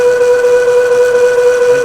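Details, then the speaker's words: Boring a 19-inch sprocket bore on the Lion lathe at 250 RPM, 0.050 in pass: a loud steady high-pitched squeal, boring bar chatter, as the tool hits the center plate of different hardness; plan to slow down. "yeah so the center plate of the sprocket is different different uh hardness or whatever and it's not happy so we're going to have to slow down to uh get through that"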